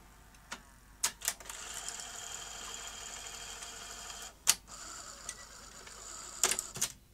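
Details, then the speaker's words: Sony Betamax SL-T30ME front-loading VCR after retiming the loading racks and pinch roller solenoid: light motor whirr with sharp clicks as tape loads, laces and ejects, no grinding; normal tape loading mechanism. "okay i think we have this working now let's uh load the tape then it laces up and i can operate the deck and eject"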